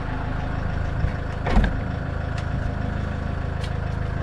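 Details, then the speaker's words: 2012 Range Rover Evoque power tailgate latch, engine running at steady idle: one short soft clunk as the latch releases, no buzzing or grinding. Earlier latch noise and failure to lock traced to a flat battery; works fine with engine running. "listen to the noise this time none so i've concluded that it's the battery"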